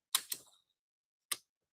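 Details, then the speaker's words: 1950s Minolta Autocord after slow-gear repair, shutter set to 1 second: crisp opening click, about a second of quiet, then a clean closing click; slow speed timing correct. "And that sounds good."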